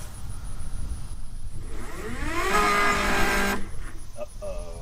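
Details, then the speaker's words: DJI Mini drone with 3D-printed 8-blade propeller adapters, wobbly props: motors whine up in pitch, hold, then cut out without a steady hover; struggling to lift off, suspected imbalance upsetting ESC motor timing and flight controller. "it turns out that it actually is very hard for this thing to take off with these propellers and all the weirdness that's going on with the adapters and the balance issues"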